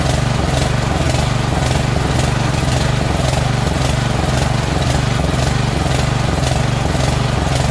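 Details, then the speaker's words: Small-engine mower carburetor surging at idle, started on choke with a jumper pack: rhythmic rise and fall about twice a second; the carburetor is dirty with a blocked passage and runs well only nearly choked. "so i'm going to try to start this up right now see if it starts it should it should surge"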